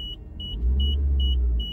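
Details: 2009 Suzuki SX4 AWD with 415,000 on it, idling: thin high-pitched whine pulsing about twice a second over steady engine rumble, with acrid electrical odour, slowing fan and decaying battery voltage; owner suspects alternator failure, one phase not rectifying.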